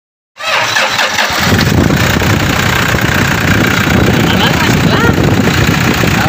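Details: Engine after repair of the noise (alternator and air cleaner housing removed and refitted): cranks, catches quickly and settles into a steady, even idle with no rattling or tapping; the earlier noise is gone.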